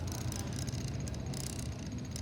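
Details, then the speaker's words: Camera gimbal rated for 3.2 kg payload carrying too light a camera: low, uneven wavering buzz as gimbal motors vibrate and oscillate because the payload is too light. "Ini bergetar karena apa? Kameranya terlalu ringan ya, ini pun."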